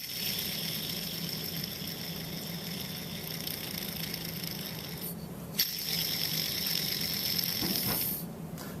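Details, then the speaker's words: BMW E46 325i old belt tensioner pulley spun by hand, removed from car: rough, gritty rattle with thin high whir; bearing grease used up, play in shaft, worn bearing causing the rotational noise the driver heard. "you can see that they've deteriorated the grease is pretty much used up and there is play in the shaft which you should you know there should be no sound and here's the police pinning this is the cause of the noise that the client heard"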